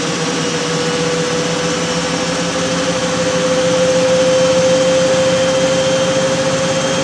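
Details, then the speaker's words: Miele W562 washer, small load of woollens on Minimum Iron 30°C with Short and Water Plus, final spin run-up then down to 1,200 rpm. Drum climbs to full speed with a smooth, steady, slightly rising whine and no thumping. Normal balanced but short final spin. "so pretty short final spin but it it does the job"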